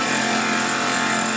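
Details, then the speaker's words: CNC mill cutting exhaust flanges for a vintage car: harsh, even rasping whine with a gritty edge during the cut, no clean hiss of a sharp tool; the cutter is blunt, leaving raised edges on the cut. "can tell the cut is BL also just looking on the edges of the cut very rough uh well not rough but uh it's got raised cutting through a sign blun cutter and you can hear it's BL too"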